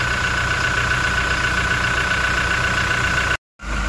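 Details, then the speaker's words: Toyota Innova Reborn diesel, engine cold and just started, oil filler cap opened: steady even diesel clatter with faint whine, no knocking; normal cold idle. "Nah kita dengarkan ya ini kondisi mesin Masih dingin tidak ada suara bunyi keluntung-keluntung"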